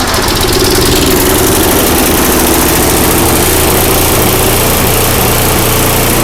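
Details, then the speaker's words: Craftsman 5/24 track snow thrower small engine after carburetor cleaning with carb spray: loud, steady drone at constant pitch, no surging or stumbling; runs strong and even. "all right guys well that sounds great glad it came back so well i'm not surprised because this one wanted to run just right from the very beginning"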